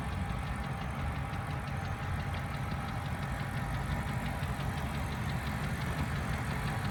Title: BMW N62 4.4 стук мотора